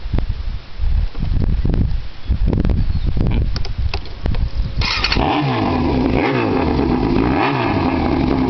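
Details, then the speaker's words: Yamaha YZF600R Genesis, bored and stroked (owner guesses 110 BHP), 20,000 miles, previously wrecked, new radiator and headers: a few sharp cranking pops, then it catches and settles into a steady, normal idle. "sound very good I'll make more videos soon"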